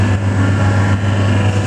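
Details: V40/V70 hydraulic cardboard waste baler, plate lowering to free stuck cardboard: steady low hydraulic pump hum, even and unstrained, no knocks or squeals; healthy.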